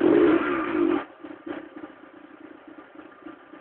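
A brief loud burst, then a cold engine running unevenly with a light rapid ticking, about three a second; cause not clear.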